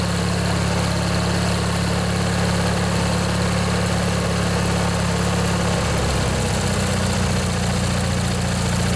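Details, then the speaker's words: Vintage Briggs & Stratton 16 hp flathead opposed-twin on MTD-built Montgomery Ward riding mower, unstarted for one to two years, after replacing a worn-out starter motor; steady low drone, even beat, no knocks or misses, some smoke and water from muffler; normal running. "it runs good glad to hear that i think that was the problem folks just that old starter motor there was just worn out"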